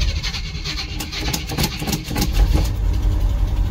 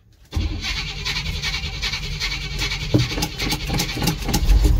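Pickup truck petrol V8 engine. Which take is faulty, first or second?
second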